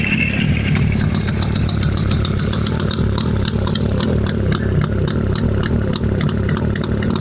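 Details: Jawa 350 type 638 two-stroke with CDI ignition, after full engine rebuild (cylinders bored, new Czech pistons, restored crankshaft, gearbox repair, new chain, bearings, seals); steady even idle with light regular rattle, no missed beats. Normal idle.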